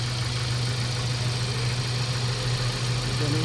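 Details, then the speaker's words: Mazda 3 1.6 four-cylinder after cylinder head work, needed because a badly warped head from an engine-block problem damaged a valve: even, steady idle hum, no knocks or misses, checked for coolant bubbling; normal idle. "tingnan natin kung ah matining na yung andar ng ating Mazda Tre at kung wala n bulwak"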